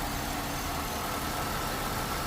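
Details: 2001 Chevrolet Impala 3800 V6 after ZZP upper intake manifold install and new fuel injector O-ring: even, steady hum with no hiss or hunting; vacuum leak or unseated injector believed fixed, normal healthy idle.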